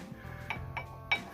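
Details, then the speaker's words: Mitsubishi ASX brakes: four sharp metallic clacks as loose pads knock in the caliper, as happens over potholes, caused by weak or worn anti-rattle springs not holding the pads. "Добрый день дорогие друзья хочу вам рассказать если колодки стучат бьют то это от Вот таких плохих пружин"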